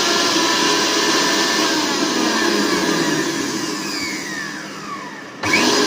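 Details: Mixer grinder after its faulty mains cord was replaced: steady high-pitched motor whir holding an even speed, dipping briefly near the end then picking back up; it runs normally.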